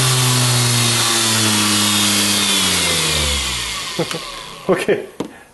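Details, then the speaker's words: Motor driven by a repaired power supply, speed set by a magnetic pickup, with tape on the shaft: a high whirr that slides downward as the motor coasts down, then a few knocks; it spins smoothly under the controller. "oh it's got a little spinning yeah that takes off I put a piece of tape on it so it's a bit loud"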